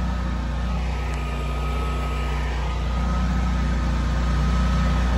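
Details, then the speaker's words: Home standby generator on a service call after Hurricane Isaias: a loud, low drone swells and sags, hunting from lack of cooling air. It sounds better with the enclosure open; the owner needs to cut back what blocks it. A bug-burned transfer-switch contactor was also found. "sounds almost better when it's open you can breathe that'll let the homeowner know they got to do something about that you can hear it starving for air making it hunt"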